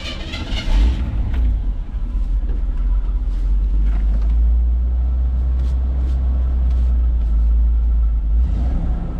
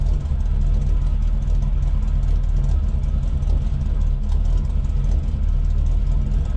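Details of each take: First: 1979 GMC Vandura idling with a new muffler fitted but no tailpipe yet: deep, steady, open exhaust drone, louder and rawer than normal, with a bit of a burp; loud exhaust from missing tailpipe. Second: 1979 GMC Vandura idling after a new straight-through muffler and tailpipe replaced the blown muffler and broken tailpipe: deep, steady, even rumble with no leaks or rattles, a normal exhaust note.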